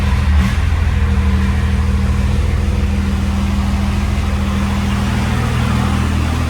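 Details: 2nd-gen Dodge Cummins diesel with NV5600 after short throw shifter install, heard inside the cab; deep, steady idle, clutch noise no longer audible, much quieter; normal idle.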